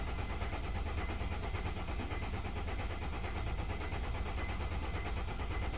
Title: ML 270 CDI 2003, no start.